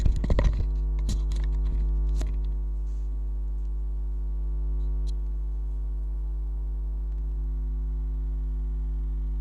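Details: Xbox One power supply after capacitor replacement, fan not connected, microphone far away: a steady, low, even mains-type hum with no buzzing, crackle or ticking; the supply runs quietly and sounds healthy.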